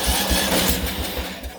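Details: Craftsman LT1000 lawn tractor on jumper box after fuel tank drained: starter chugs quickly, about four pulses a second, never catches; cause not confirmed, later runs burning a little oil.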